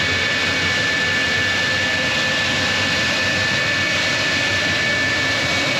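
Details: J79 jet engines on a successful ground run after refuelling and fixing leaks, to verify the leak repairs; steady roaring rush with a fixed high whistle, even throughout. Normal, healthy jet engine idle.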